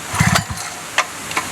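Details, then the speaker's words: Wick 280 fire pump engine, cold start with choke closed after fuel priming: rough starter-pull rasps, then a short soft pop about a second in and another after — the subtle first ignition, cue to open choke to prevent flooding. "Opening the choke after the first ignition is a critical step in order to prevent flooding. Listen carefully for the first ignition as we hear here."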